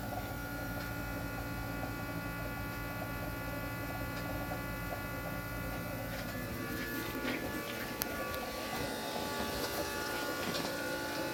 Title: Bad fuel pump